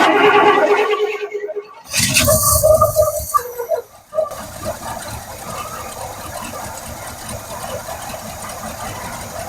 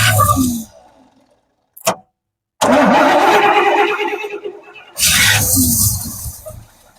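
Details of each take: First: 1971 Cadillac Sedan DeVille big block V8, parked since 1986, running on fuel poured into the carb: after a sputtering catch it settles into a rough but steady run; not pulling fuel through the carb, but it runs. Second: 1971 Cadillac Sedan DeVille big block, parked since 1986, first start attempt with fuel poured into carb: short cranking bursts with gaps, catches, sputters and fades; hard start, won't stay running, owner suspects too much fuel.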